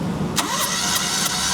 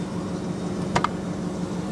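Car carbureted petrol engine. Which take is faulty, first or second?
second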